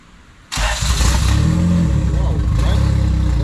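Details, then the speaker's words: Boosted FWD Honda EG hatch, first startup on a new base map after head gaskets, ECU fuel-pump priming and spark wiring fixes. After a short quiet spell it catches instantly and settles into a strong, even run with no misses; normal start. "Oh, that was good though. That was good. It's alive. It's alive. Damn, guys. Hey, that's one thing about the Honda. Somehow they, no matter how much long they sit, they kick on right away."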